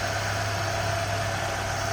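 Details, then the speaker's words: 1993 Ford Mustang LX convertible, 2.3-liter four-cylinder, hood open; even low hum with steady hiss, no ticks or stumbles; runs smooth, normal idle. "There you go, 2.3 liter, smooth run, good"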